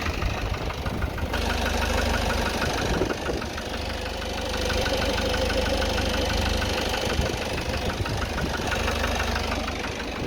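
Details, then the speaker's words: Citroen Relay diesel van at 12,800 miles, warm idle recorded from outside: steady light tapping about three a second with a fretting sound, present since about 4,000 miles, briefly gone when revved, worsening with idling and heat. "Now this is only slightly into the day. It's just lunchtime, and this gets worse and worse as A, the engine sits here on idle, and B, as the engine gets hotter throughout the day."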